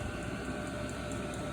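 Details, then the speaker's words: Newly installed Amazon diesel heater in a garage, running and pumping heat: steady, even blower roar with a faint regular fuel-pump tick and no surging. It runs normally and works good, with the uninsulated exhaust pipe very hot. "But that's it. Pretty sweet. Works good. Pumping heat."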